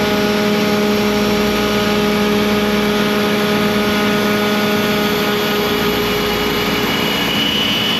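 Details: ShopBot CNC cutting 6061 aluminium door pulls with a 120° V-bit: steady high spindle tone over a rough labouring cutting roar, spindle straining under heavy cut; extra clearing pass planned so the V-bit won't hit two aluminium sides at once.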